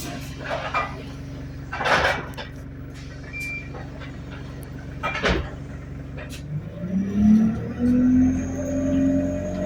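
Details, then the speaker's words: Go Ahead London Central ADL Enviro200 bus YX13AFY on route B16, riding aboard: steady whine over the drone climbs in pitch as the bus pulls away; high idle RPM and turbo screech noted; whine source unclear. "Bro, what is that whining noise, fam?"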